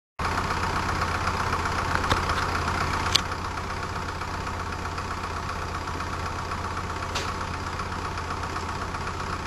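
Steady whirring hum with a soft, uneven knock about four times a second, like a small diesel ticking over inside the case.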